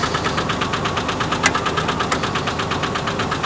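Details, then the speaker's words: Red truck idling in neutral (won't go into park); regular rapid knocking with even beat over steady idle — engine knock, cause unknown; owner thinks the engine needs replacing. "but you can hear why i need to change or get my engine replaced"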